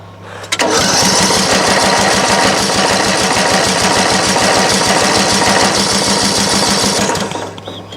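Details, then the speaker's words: Craftsman LT1000 mower cranks rapidly for about six seconds on choke with carb cleaner sprayed in, fires briefly once, then stops: it cranks but won't run. Owner suspects the fuel solenoid on the bottom of the carburetor isn't getting power. "it really sounds like it wants to run i don't know if you heard that but it did fire very briefly but it fired"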